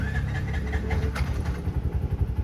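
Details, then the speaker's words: Auto rickshaw just after its starter motor was repaired/replaced; before, it hesitated when starting. Engine catches promptly and settles into a steady, even low putter with no grinding or hesitation; normal start and idle. "ನಾನು ಕೂಡನು start ಮಾಡಿದೆ ನೀಟಾಗಿ clean ಆಗಿ start ಆಗ್ತಿದೆ"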